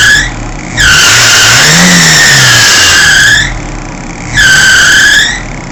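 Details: Fiat Seicento at idle. A loud, high-pitched screech surges in waves. It was intermittent and worse under electrical load (lights, heater), unchanged after a new fan belt, and permanent after adjusting the alternator. The owner asks whether bearings are shot; not confirmed.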